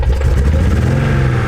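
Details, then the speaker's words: Toyota Celica Supra Mark II with 5M-GE engine, very low compression, running on about 2.5 cylinders with heavy black smoke; heavy, lumpy, stumbling low-pitched running, several cylinders dead; suspected blown head gasket causing misfires. "Alright, so here's what the car sounds like, and here's how we drove it home with low compression. It sounds worse than it did when we brought it home."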